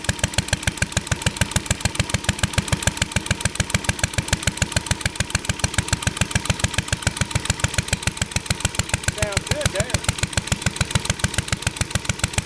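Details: Ideal Model V upright throttle-fed single-cylinder stationary engine, pull-started; carb very sensitive to weather and mixture. Crisp, even firing about three and a half beats a second, unbroken; running normally and healthy.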